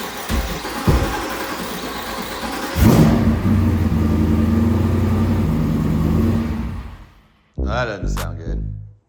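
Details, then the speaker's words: Jeep Wrangler started after sitting for months: harsh, uneven grinding whirr during cranking until the engine catches; failing starter (possibly a loose connection), then replaced. "See what happens when you leave your vehicles for a few months to go have fun. Yeah, so the starter clearly not happy at all."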